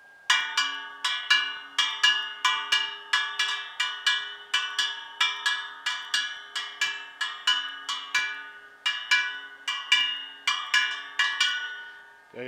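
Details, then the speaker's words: Harley-Davidson wheel just rebuilt with new spokes and nipples, spokes tightened and tapped all round; bright ringing taps about one per second at nearly the same pitch, all sounding pretty much the same, so spoke tension is even. "Now then, let's listen to what note they play. They should all be similar, if not bang on the same. It's rarely the case you'll get them all to play the same note, but here we go."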